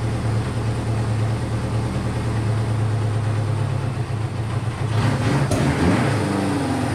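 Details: Honda CB500 four-cylinder idle that is low, uneven and wandering rather than steady, though firing on all four. It smokes a decent amount, and the owner suspects low compression.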